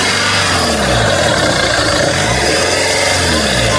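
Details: 2.1L diesel Mercedes-Benz Sprinter just after turbocharger replacement: engine revved several times, climbing and falling cleanly, steady and even with no knocks or whistle; the new turbo sounds healthy.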